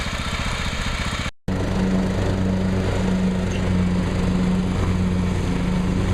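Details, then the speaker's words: John Deere STX38 hydro lawn tractor, 38-inch deck, after new carburetor and oil change (stuck float had filled crankcase with gas), PCV breather reconnected: steady even drone while mowing, no hunting or misses; runs normally under load. "i connected up the pcv breather pipe to the carburetor adjusted the throttle seems to run fine seems to cut grass fine"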